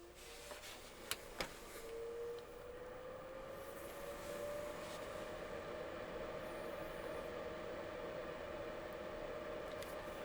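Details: Muliap KJ150 HEPA air purifier switched on to normal mode, drawing about 6.38 W: a soft fan hum rises in pitch, then holds a steady, even tone. Normal fan running.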